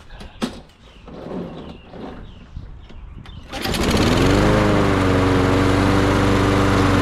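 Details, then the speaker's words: Briggs & Stratton 6.75 Quantum auto-choke engine on a Toro 22-inch Recycler mower, stored 10 years, after bowl refilled: fires, climbs smoothly and holds a steady even drone; running normally, "sounded pretty good, just perfect." "Sing it, little birdie. That sounded pretty good. Sound like a Mopar. Just perfect."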